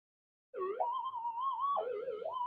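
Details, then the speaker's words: Minelab GPZ-7000 metal detector powered up indoors with no target, sensitivity dropped from 17 to 1: a wavering, sliding tone wanders up and down without settling. Mains electrical interference still gets through and is too noisy for noise figure measurements. "you can't work on it with that much noise you'll never be able to make noise figure measurements or anything"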